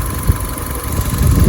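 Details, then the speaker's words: Repaired Cat S Fiat 500 Lounge, after the oil leak was fixed and hoses and coolant refitted: a deep, even idle with no knocks, ticks or misses. It is running fine. "as you can hear and as you can maybe see the engine runs absolutely spot on now no problems at all"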